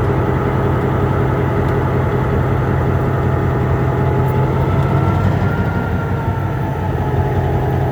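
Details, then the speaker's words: MP15 switcher locomotive on DO-1 that started right up, unlike the second unit that had a hard cold start on weak batteries; deep, steady diesel rumble, even relaxed beat, no knocks or misses, healthy idle. "This one started right up."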